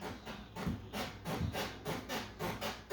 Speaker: in this portion here maybe the nails are you know I lose and then that's why it makes sounds like this